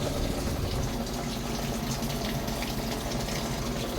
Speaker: Na-repair ko na yung controller board. Yan pumapasok yung tubig.